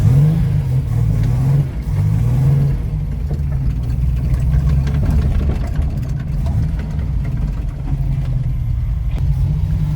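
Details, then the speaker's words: Ford Capri 3.0L V6 race car replica, first drive after sitting 20 years and a jump-start from a booster pack: a deep, meaty, steady engine note rises and eases smoothly with the throttle, with no knocks or misses. Normal running. "It sounds good. It sounds really meaty. Runs lovely."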